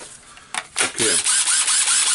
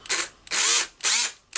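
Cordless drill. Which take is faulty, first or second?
second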